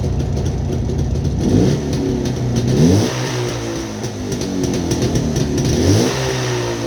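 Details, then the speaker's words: Jawa 360 two-stroke with AR-3 rotor ignition/generator, rotor 3–4 mm misaligned with windings, just over 6 V at idle; crisp crackle through three even throttle blips, picking up cleanly each time; engine runs healthy. "Vape ei ole kõige paremini oma rootori ja mähistega joondus, aga mootor läheb tööle, hästi töötab, tuled ka mingisugust töötavad, kuigi ta ei anna tühikäigul nii palju voolu välja, kui oleks vaja, et tühikäigul mõõdetud natuke üle 6 voldi pööret ja natuke rohkem."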